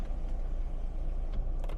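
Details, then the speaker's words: 2012 Fiat 500 Pop Cabrio, engine running: electric soft top closing from intermediate stop to front, steady low motor drone with brief dip, no grinding or strain; top works normally. "and then we push the button again and it comes all the way to the front"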